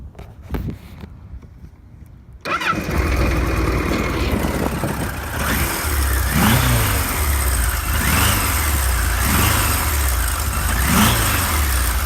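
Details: Original, stock one-owner 1978 Kawasaki KZ1000 A2 motorcycle, 6,224 miles, stock exhaust, clutch pulled in: short crank, catches and settles into an even steady idle with a few clean blips; normal start, no smoke.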